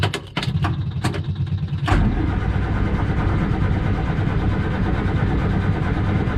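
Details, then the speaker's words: Morris Minor on easy start spray with choke, SU fuel pump clicking: a few sharp cranking bursts, then it catches into a low uneven idle before dying; owner blames dirty fuel in the tank, pump still runs, no leaks. "yeah she doesn't want to run on filth in the tank that's a damn shame"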